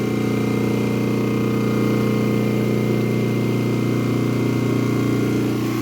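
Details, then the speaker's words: Newly wired three-phase transformer for a Fortus 400mc 3D printer, just switched on at the breaker, heard with an ear to the unit: steady, even mains hum with no buzzing or crackle; normal and fine. "yep okay so the Transformer is humming and that's okay that's good"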